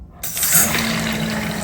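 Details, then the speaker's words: Toilet refilling after a flush with rushing water and a steady low hum. The top of the fill valve was serviced, but the noise persists; it was later traced to a vibrating restrictor washer under the fill valve. "I'm going to turn the water back on. Water's back on. And I'm going to press this down to let the water flow and see if the noise still happens."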